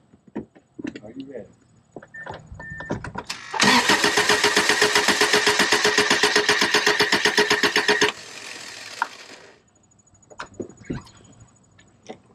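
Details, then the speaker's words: 1999 Subaru after engine install, cold, three spark plugs still in, throttle held wide open: steady starter cranking about 230 beats a minute with even compression pulses for a compression check; healthy, even crank. "it's still cold cold compression you got three of the plugs in i'll hold the throttle wide open and we'll see what happens"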